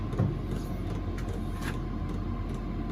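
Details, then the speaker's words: Chinese diesel heater running on kerosene in a workshop; steady combustion roar with loud fuel pump ticking about twice a second, banging pump needs quieting. "is so noisy I need to do something with that pump because I can't cope with that banging away like that that will absolutely drive me absolutely wacky"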